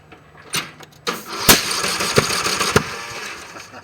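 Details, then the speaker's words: Briggs & Stratton mower engine with a homemade compression release (1/8 pipe nipple through the cylinder head, chainsaw relief valve) pushed in: separate pull-start bursts spin quickly and easily but don't catch yet; it may need choke. "so you can see it does work my suggestion is if you do do this get you a manual compression relief"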